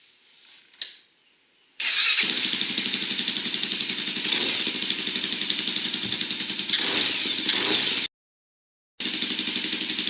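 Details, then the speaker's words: Honda 400EX ATV after a top-end rebuild, with a 182 jet in the carburetor: the single-cylinder engine catches and settles into a steady, even idle of about four pops a second. It sounds normal. "okay sounds good idles good off to start"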